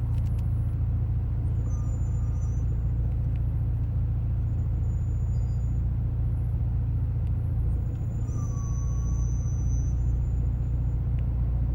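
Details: Hawk HP+ brake pads give a very bad high thin squeal that comes and goes three times over heavy road rumble as the car slows in daily use.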